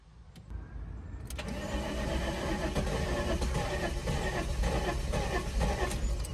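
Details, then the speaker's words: 1999 VW Eurovan VR6, parked five years, new battery fitted: steady rhythmic cranking about four beats a second, starter spinning freely, never catches; cranks but no start, owner suspects fuel not yet up to engine. "oh it was trying maybe it's maybe the fuel isn't quite up there yet"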